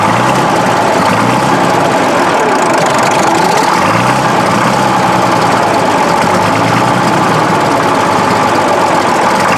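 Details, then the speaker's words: Case 1150B crawler dozer diesel started with ether at about 40°F, just after two broken injectors were replaced. Rough, loping, clacky idle with sharp tapping, still as smoky as before. Owners suspect the new injectors aren't bled yet; no full throttle yet. "That's still pretty smoky. Sounds a little clacky too, I don't know. Does it sound clackier than it used to?"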